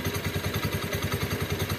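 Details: Honda Beat scooter CVT: light regular clicking about eight times a second while running; clutch lining clamp plate (double lining) loose, worn by the lining lock clip; minor, fixed by servicing the clutch.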